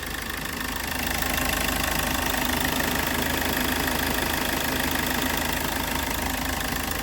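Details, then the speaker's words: Hyundai Verna Fluidic diesel with over 200,000 km, just started after timing chain replacement and air bleeding: steady, even idle with soft regular clatter, no rattle or chain slap; smooth, healthy engine. "ആ അങ്ങനെ start ആയിട്ടുണ്ട് air ഒക്കെ എടുത്ത് start ചെയ്തു നല്ല smooth sound ആയിട്ടുണ്ട് timing ചെയിന്റെ noise എല്ലാം"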